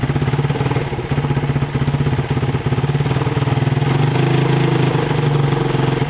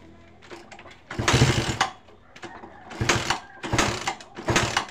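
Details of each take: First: Suzuki Satria FU 150cc carburetted motorcycle, carburettor fine: regular single-cylinder beat dropping out in brief gaps as throttle opens; misfire from loose ignition coil connector, before tightening. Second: Suzuki Satria FU 150 that stuttered on throttle, after tightening a loose connector: several quick blips rise and fall cleanly with no stutter or hesitation; normal revving, stutter fixed.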